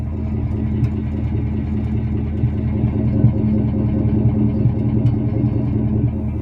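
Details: Ford F-150 at idle: faint uneven light knocking about two to three per second; owner suspects VCT phaser or timing chain tensioners, not confirmed.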